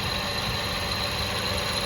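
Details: 2010 Kia Soul after replacing power steering and A/C pump V-belts, which had squealed for years: smooth steady idle, only a faint thin whistle, no belt squeal; normal idle.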